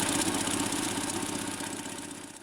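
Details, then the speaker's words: Land Rover Series 2A revived after sitting several years in a paddock, fuel tank issues overcome: steady, even idle with no knocks or misses, settling smoothly, normal idle. "there you go we managed to get that going without sitting on fire"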